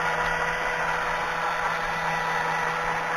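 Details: Hobby coil winder with motor on rubber shaft coupling, counter running: steady even hum at constant pitch, no knocks, rubbing or surging; normal running.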